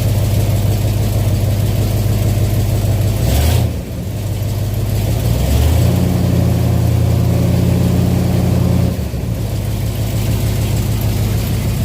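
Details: 1967 Chevelle V8 running off its original wiring after ignition switch reassembly; deep, even idle with a couple brief throttle changes, settles right back smoothly; oil pressure gauge about three-quarters, not yet charging; normal idle.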